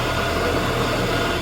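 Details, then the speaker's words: 1979 Shopsmith Mark 5 running after original quill replaced with a new one to cure about 1/16 in wobble; steady, even motor hum with a smooth low drone and no knocking, far less floor vibration than before, almost perfect. "the whole machine vibrates on the floor so that not as much as it did right that's literally almost perfect"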